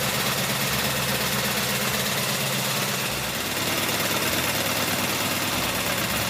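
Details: 1984 Honda VF750F on first start after a starter motor swap: loud clattery top-end rattle over a rough, revving engine, like loose valve train. Cause undetermined; owner suspects cams or badly maladjusted valves. Possibly running very rich, white smoke.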